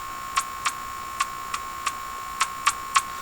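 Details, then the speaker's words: General Electric KL-70 AM/SW radio after cleaning the push-button assembly: sharp, uneven ticks about three a second over a faint steady hum; an intermittent crackle, cause not yet found. "see I think something's they're equally spaced on the tuning anybody want to Hazard a guess on why that would be"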